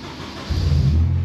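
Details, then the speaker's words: Honda Civic track car, static battery voltage 13 V, on a borrowed replacement battery and new belt after a suspected battery or alternator fault: short crank, then it catches with a deep rumble and settles into a steady run. "Yes! She's a runner."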